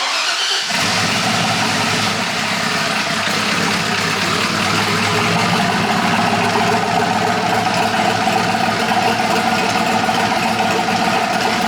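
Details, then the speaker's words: Polaris RZR with a swapped-in Yamaha Nytro snowmobile triple-cylinder engine, running after its fuel issue was sorted; more sensors still to be added. Catches within a second of cranking, then settles into a steady, even idle with no misses; normal idle. "All right, so the unit runs finally. Kind of figured out our fuel issue and uh we got to put a couple more sensors on this thing to get that premium optimal horsepower."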